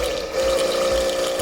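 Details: Karcher K2.93 pressure washer that suddenly would not start, opened with power switch checked by multimeter: steady motor hum with firm, even mid tone once the switch is pressed; motor runs normally.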